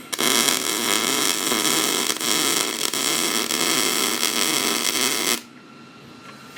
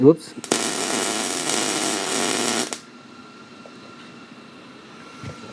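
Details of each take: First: MIG welding a repair on a 1988 Chevy Silverado frame after slowing the wire speed and lowering the heat: steady, even frying crackle for about five seconds, then the arc stops. Bead sounds normal. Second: Beginner MIG welding a crossmember repair on a 1988 Chevy Silverado frame: a short two-second burst of harsh, uneven crackling arc. Suspected travel speed too slow, wire speed and heat slightly too high. Cause not confirmed.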